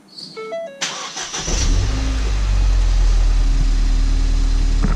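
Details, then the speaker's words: Crashed Ford Fiesta ST being repaired, only started twice before, key-not-detected warning and low battery; dash chimes, short crank, catches straight away and settles into a smooth steady idle; normal cold start. "Our battery's low. Sweet as a nut."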